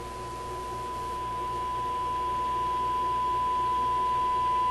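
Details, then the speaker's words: Sparton 5 tube radio first powered on restricted power after a change: clean, steady high tone, swelling slightly, no hum, crackle or distortion; radio works. "okay the answer is yes it works"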